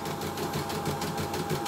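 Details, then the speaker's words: CNY E960 embroidery machine on test run after cleaning and repair: quick, even tok-tok chatter as a part shakes loose from vibration because the cover isn't closed yet to hold it. Otherwise running smoothly with sensors working. "karena getarannya ininya terlepas."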